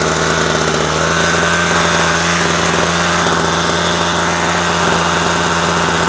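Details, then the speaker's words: Homelite string trimmer found in the trash, run after carburetor cleaning and a speed adjustment: small two-stroke buzzes at a steady, fast speed with no surging, stumbling or dying; running properly. "Aha. Okay. So, that one's fixed."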